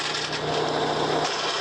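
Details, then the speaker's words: Mahindra 415 DI Bhoomiputra tractor diesel running with rough rasping grind as gear is forced; clutch not disengaging even when pressed, won't go into neutral, gear won't engage and tractor won't stop; gear grinding from clutch not disengaging. "देखिए, यह gear बिल्कुल भी काम नहीं कर रहा है। जब आप गियर बदलने की कोशिश करते हैं, तो क्लच काम नहीं करता है।"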